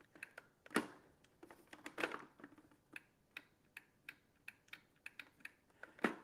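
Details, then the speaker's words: Appliance safety micro switch at the handle attachment, previously stuck, probably from sitting unused: crisp separate clicks in a quiet room as the handle works it by hand; it now makes and breaks cleanly. "Remember that little micro switch that was there where the handle attaches? So, we know the handle is operating it."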